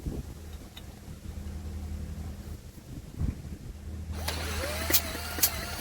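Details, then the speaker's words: Douglas engine spun over with a drill, thumb on the plug hole to feel compression: smooth, steady whirr that never fires. No spark with this plug; a replacement plug does spark on compression, so timing is right. "I don't appear to have a damn spark. Let me try another plug, just in case that plug is donkey."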